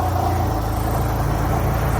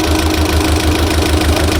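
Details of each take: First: Mitsubishi Galant with 4G63 engine on first road test after revival: even low engine drone on the move with no top-end tapping; the earlier valve lifter noise is gone and no check engine light. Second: Mitsubishi Galant 4G63 on fresh start after revival: rough uneven idle with steady light ticking over a stumbling beat; noisy valve lifters, to be primed, plus a misfire (palyado).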